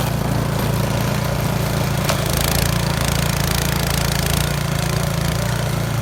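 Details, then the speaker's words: Yard Machines 22-inch snow blower after carburetor cleaning (gas left in it at least two years), choke off at full throttle on test run: small engine's steady, even drone with no surging or misses; normal running. "we're gonna go ahead and give a little test drive and see what happens so choke off right now all the way full throttle Friday there"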